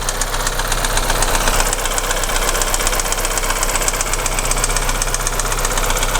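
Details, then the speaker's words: Audi Q3 1.4 TFSI (CZDA) started cold, no fault codes: steady hard knocking at idle, a couple of sharp raps per second over a rough run, heard at the hood; piston knock, engine also burns oil and is going for rebuild. "Ага запустили ошибок никаких нету но стоит вот такой вот стук Пойдёмте к капоту вот так вот он тарахтит"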